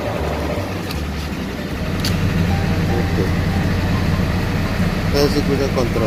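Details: Ford 7.3 Powerstroke turbo diesel after a no-start traced to the control circuit fed by fuse no. 30, apparently blown and replaced with a new one: fires up and holds a steady, low, even idle. Normal.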